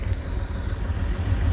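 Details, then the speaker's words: 1931 Chevrolet 5-window coupe straight six, just started for the first time in 20 years: low, soft, slightly lumpy idle with no knocks or ticks, sounds good, choke and throttle still to be adjusted. "How does it run, Mike? Sounds good."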